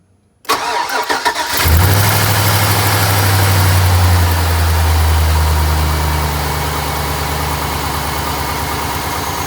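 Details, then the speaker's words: LS V8 truck with broken exhaust manifold bolts, before the stud-and-clamp fix: cranks, catches and settles to a fast idle with a sharp puffing tick from the exhaust manifold leak; slight smoke. "I'm gonna do a start up on the truck let you listen to the exhaust leak"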